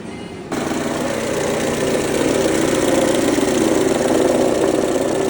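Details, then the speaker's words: Mercedes-Benz A140 W168, 2003, ran well until it suddenly developed a noise: steady idle with a fast, light rattling tick from the front of the engine; abnormal engine noise, cause unknown, owner asks for help. "jetzt macht er vorne seine Motorgeräusche und dazu bräuchten wir eure Hilfe."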